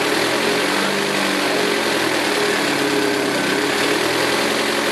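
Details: 2006 Saturn ION Redline with GMR cams and stock hydraulic lifters: quick light ticking over an even idle, keeping time with engine speed; lifter tick, owner plans solid lifters.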